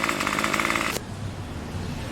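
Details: Craftsman Weedwacker trimmer 316.791191, MTD 27cc two-stroke shortblock, Zama C1U-P27 carb, after rebuild: rough fast buzz runs steadily about a second then drops off; tach jumping around 2700 rpm; normal running.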